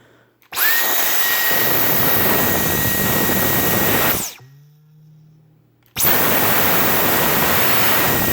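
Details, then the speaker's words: Brand-new Dyson V10 Cyclone Absolute stick vacuum: steady high motor whine, then after trigger release a brief low hollow boing-like ringing as the motor winds down; suction fine, owner suspects filter area or new rubber resonance. "yeah just a little boying noise something sounds like something the filter area or maybe rubber is adjust new packaging new materials has just gotta wear in or something I'm not too sure it's basically just a little boy noise it seems to work fine got good suction everything else"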